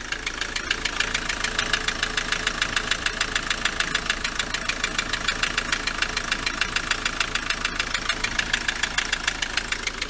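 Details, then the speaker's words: Ford Transit MK7 2.4 RWD diesel van at idle just after fuel system bleed and new injector seal kit; hard even ticking knock about six per second persists, owner unsure whether injectors are faulty, cause unconfirmed. "But anyway, it's still knocking. But at least it's running."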